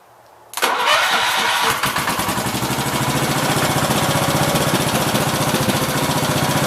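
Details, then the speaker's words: 1969 Gravely 432 with a rebuilt K321 14 hp single-cylinder engine and a new piston. It starts on the first crank, then settles into an even, quick beat of about four pulses a second with no knocking; healthy normal running. The owner suspects a weak fuel pump. "good enough for me so it's been sitting here running for every bit I've got a half an hour so pretty happy with it except for the fuel issue"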